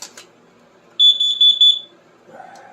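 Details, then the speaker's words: Triumph Spitfire run inside the garage during winter storage: the carbon monoxide detector sounds a shrill high beep, four pulses in under a second over quiet room hum, tripped by exhaust fumes. "that's my carbon monoxide detector cuz I had the car running good thing to have laying around"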